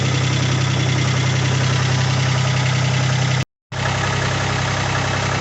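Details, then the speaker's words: 1980 Kubota tractor with a three-cylinder diesel and an aftermarket loader, idling while warming up. It gives a steady low rumble with an even beat and no knocks or misses; it sounds healthy. "it runs, it sounds good. Nice little diesel motor, 3-cylinder with a diesel."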